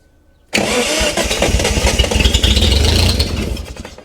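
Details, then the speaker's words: 1971 Datsun 240Z on its first start in restoration: the engine bursts into uneven life for about three seconds, then sags and dies. It is fuel-starved because the carburettor bowls are not yet filled, and a fuel leak is suspected. "Little fire blowing up. Fire fuel. That's running. I mean, yeah, I need to get fuel to the bowls, but uh did start."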